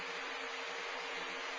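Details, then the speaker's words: 1956 Signal/King-Seeley Cool Spot 161400 16" oscillating table fan, blades de-wobbled and switch cleaned, on medium: steady airy rush with faint soft motor hum, no rattle or rub; running normally. "Now low is a nice step down, and it takes the fan down to a nice moderate RPM. That is still fairly quiet, but still delivers a nice breeze."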